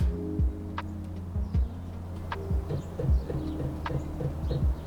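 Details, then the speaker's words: Vevor diesel heater in snowmobile trailer, heat level 1, startup: soft ticking pulse under one per second over steady fan hum while priming; normal fuel dosing pump clicks before ignition. "so you hear those little series of clicks. That's the fuel pump for the diesel heater. And it's getting ready to fire."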